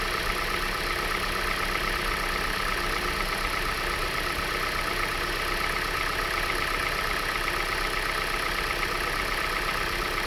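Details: Hyundai i40 at idle: fast, light, bright metallic ticking riding steadily on top; owner asks whether it is valve tapping, unconfirmed.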